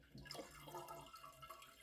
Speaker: where's the water draining to is it the flapper it's the flapper y'all hear that